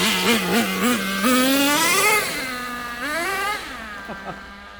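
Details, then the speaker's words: Nitro RC car engine after the high-speed needle was leaned out. It revs up and drops back, then holds a raised, slightly wandering tick-over, suggesting it may be on the lean edge. The remedy is to richen the needle. "tick over's gone up as well oh we must just be on the edge"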